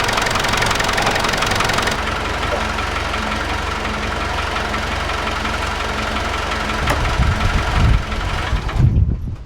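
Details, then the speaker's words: Land Rover Discovery diesel idling, faint steady whine over the engine, loudest at the alternator when checked by screwdriver, water pump quieter; whine building for weeks, first suspected water pump; traced to alternator, which still charges, to be removed. "so it looks like the noise is coming from the alternator so we need to take the alternator off the car"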